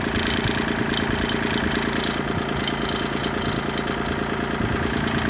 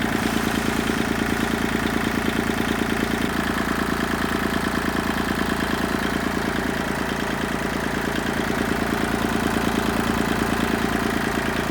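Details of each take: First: Kubota tractor at diesel idle: light metallic rattle from the loader control handle, owner suspects the arm or its bracket vibrating on the solid-mounted base plate; earlier a vibrating washer was isolated with an O-ring. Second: Kubota tractor diesel at idle after the repair: two O-rings fitted at the loader handle joint's washer. Steady, firm beat with no vibration or rattle from the loader lever, which previously vibrated badly at idle.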